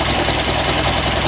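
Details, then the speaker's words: Massey Ferguson 135 tractor just after a carburetor rebuild, started with a little choke. Fast, even ticking of about eight a second over a loud, steady idle. The owner suspects valve clearance needing adjustment; this is not confirmed. "needed a little bit of Choke there but probably won't ever need a choke again does have a little bit of a valve cap or something's going on there probably needs an adjustment"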